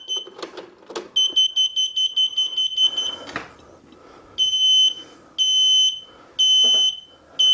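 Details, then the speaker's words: Mobility scooter that won't move though fully charged; controller gives sharp high-pitched beeps about once per second, nine flashes, meaning the electric brake is not connected. "nine flashes on this particular one means the electric brakes no connected"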